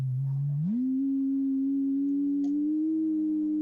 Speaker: wow that's low low tone yeah that's really low yeah can you hear something yeah loud it should be changing the frequency a lot